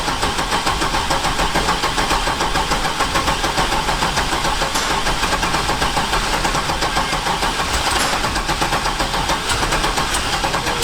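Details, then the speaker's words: 1972 Datsun 240Z on its first drive after a rebuild, with a turbo 6.0 Chevy LS V8 swapped in for a blown 4.8: loud, busy V8 burble holding a steady beat with no standout knock or misfire. The engine sounds healthy and is running right. "she's alive yay all right guys this is my first drive since the rebuild i missed her so much"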